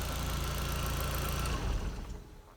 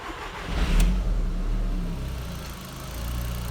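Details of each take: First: 1.8T Audi TT that kept dying down and stalling, now after fuel pump priming holds a steady, even idle, still slightly ramping but not dying; owner suspects the fuel pump; normal idle. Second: Audi TT 1.8T that kept dying, running on a makeshift fuel pump setup: catches and runs with speed rising and sagging unevenly, still ramping but no longer dying; owner suspects the fuel pump.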